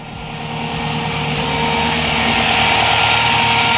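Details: Turbocharged Toyota pickup with a new SPAL 16-inch electric radiator fan, engine warm: a loud, steady whoosh builds and holds, moving far more air than the old fan. It runs normally after a blown fuse was replaced.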